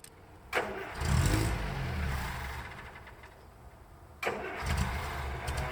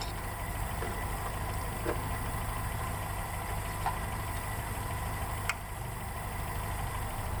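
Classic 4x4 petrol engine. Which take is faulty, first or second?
first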